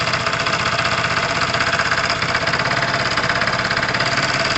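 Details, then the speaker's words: Tamoretti Retro scooter/moped, warming up at idle: fast, even tapping rattle over a steady single-cylinder idle from down low; owner thinks it is not inside the engine, something loose-ish, possibly the rollers on that side, unconfirmed and not worrying. "there is a rattle down here that annoys me i don't think it's inside the engine it may even be"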